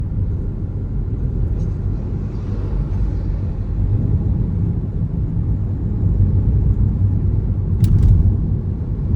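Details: Hyundai Alcazar SUV while driving: a steady low road rumble with loose, irregular rattles; the source of the rattle is not found.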